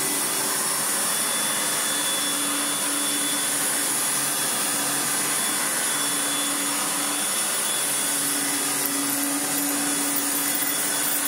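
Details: Restored Hoover Turbomaster U5078 upright vacuum after rebuild: brand new genuine Hoover fan (old fan rubbed from dirt, went off balance, blew two motor coil wires), original motor bearings, one new brush roll bearing; steady smooth motor-and-fan whine, even pitch, no rattle, wobble or scraping, normal running.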